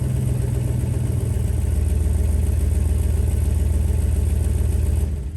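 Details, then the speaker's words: Lifted 1995 Jeep Grand Cherokee ZJ V8 after fitting cat and straight pipe, undersized clamps leaving an exhaust leak: deep, loud, raspy rumbling idle with slight ticking from the leaky joint; cat suspected clogged, later fitted straight pipe and Flowmaster Super 40 muffler. "Yeah, not sounding too great. I think the cat was clogged up a bit too, so I then had a local shop weld on a nice straight pipe and a Flowmaster Super 40 muffler."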